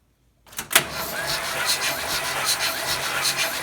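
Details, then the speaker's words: Vintage Mopar engine cranked for a compression test on cylinder 1 after a summer of running mystery oil in the fuel tank: the starter cranks at a steady, even pace with regular compression pulses and no faltering, reading 105 psi; cylinder 2 is a little low at 90. "$105. All right, well, we got one a little low, but she's come back up, so we're good with that."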